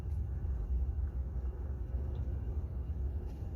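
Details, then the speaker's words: PT6 turboprop on an engine stand during shutdown, after high idle, with the prop pulled to feather and settling around 300 RPM: low, even rumble with no whine or rubbing; normal feathered-propeller idle. "Pull the prop level to feather and wait until the prop speed is around 300 RPM and stabilizes."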